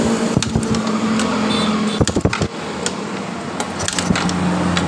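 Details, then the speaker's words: Yamaha Mio GT scooter, hard starting, stumbling and dying though injection and fuel pressure normal: irregular sharp snapping clicks over cranking from high-voltage leak at body; spark plug cap found loose and worn. "dengarkan ada suara strum bocor di bagian antara bodinya ini Ketika saya mengengkol dari motor ini coba kita dengar sama-sama ada kebocoran"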